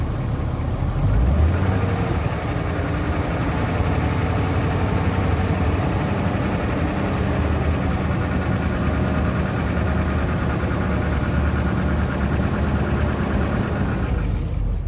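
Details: 1997 BMW 540i (E39) at a steady low idle with a light, busy rattle riding over the engine note; the rattle's source is not clear.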